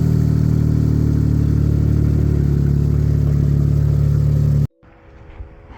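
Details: Acura with a newly installed, mildly built J-series engine, loose without the subframe: it catches and runs with a smooth, even low drone for several seconds before shutting off; no leaks and it sounds healthy.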